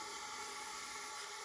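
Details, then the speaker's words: Old front-engine dragster engine, sat about 30 years, leak-down test with the engine stopped: steady faint hiss of air felt at the bottom of the cylinder past the rings and oil ring holes, not from intake or exhaust; ring sealing loss. "I can feel it down right at the bottom of the cylinder yeah right on the Rings coming in around the oil rings"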